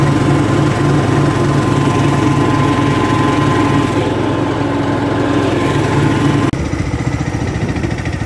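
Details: Craftsman LT2000 lawn tractor, unused since about 2013–2014, running after an oil change with a new transmission pulley fitted. Steady even single-cylinder thump at constant speed with no surges, clatter or squeal: normal running.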